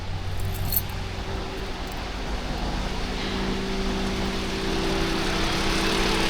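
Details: 2021 Toyota Avalon automatic with engine and traction lights on, code P0306: low, uneven lumpy idle with strong engine vibration; cylinder 6 misfire caused by a clogged injector.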